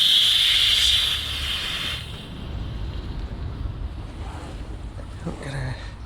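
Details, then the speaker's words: GAZ 66 truck after winter hibernation, cold wet day, air tank repaired by welding new base plate: after running, underside check hears no leaks; sharp two-second hiss from drain tap then fading shows tank holding pressure. "We'll go back underneath after having it run and we'll see or hear if there's any leaks, which I can't hear any."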